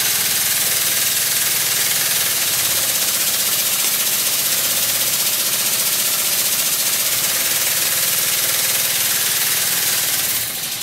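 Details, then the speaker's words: Circa 1896 model steam engine on live steam from a boiler plant, after water cleared from the cylinder, run deliberately at very high speed: fast even beat under constant hiss, steam leaking at dummy piston rod gland; normal running. "And as soon as the water clears from the cylinder, it starts to run, and it runs very well. Time to stop talking for a while, so you can both see and hear the sound of the engine."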